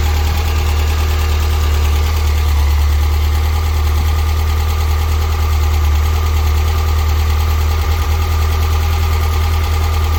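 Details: Freshly built 100 HP 1641cc air-cooled flat-four for a Karmann Ghia, first run after build, before dyno: strong steady low drone holding speed with slight unevenness but no knocking; engine shows signs of health; normal running.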